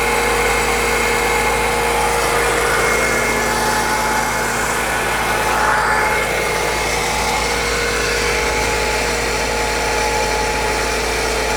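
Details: 2002 BMW E46 M3 converted from SMG to a 6-speed manual: a steady high whine over an even idle that never drops away as the starter stays engaged; electrical burning smell, smoke from the middle, engine would not shut off.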